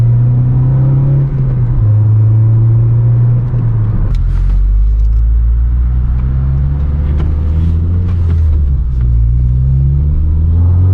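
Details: 9th-gen Honda Civic Si with a newly installed Acuity cold air intake, heard from inside the car with the windows up: a deep, steady intake rumble that swells as revs climb, best above about 4,000 rpm, a clean pull with no rattles; normal intake noise.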